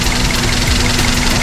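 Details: Daihatsu Sirion with the check engine light on: loud idle with an uneven pulse of about five or six stumbles a second, a misfire; injector number four is being checked, ECM or wiring is suspected, and the cause is not confirmed.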